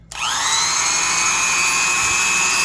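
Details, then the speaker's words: Vintage Black & Decker Super Duty 5/16" D-handle drill, just reassembled after teardown, working through new grease, forward only, one brush cap missing: quick spin-up to steady smooth high whine, no grinding or rattle; normal no-load run. "Gotta work through all that new grease. And if you didn't notice, this is forward only."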